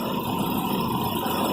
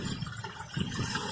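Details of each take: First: Petrol engine ticking over steadily at a slightly raised idle, even and without stumbling, after raising the idle speed control screw; it had idled lumpy when cold, and a water-spray test found no vacuum leak. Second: Petrol engine on cold start idling slow and lumpy, pulsing unevenly; water-spray check found no vacuum leak, so idle speed, set too low, is adjusted at the idle speed control solenoid.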